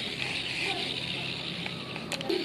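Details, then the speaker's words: Economy fishing reel turned by hand after cleaning and reassembly: a steady rough, gritty rasp instead of a smooth spin, still noisy from a suspected worn ball bearing, to be replaced with a new one. "jadi kedengarannya juga masih berisik ya jadi saya akan coba ganti dengan jaringan baru yang baru saya beli"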